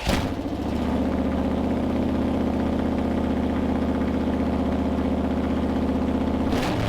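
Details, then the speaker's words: Freshly built Mopar 360 V8 (1974 Plymouth Duster) during flat tappet cam break-in: deep, even rumble, no knocks, ticks or rattles; healthy running, no cam failure signs. "so number one is we're just listening to it running did it sound healthy you know how how are we going uh throughout each run and thankfully it sounded great we had no issues throughout any of"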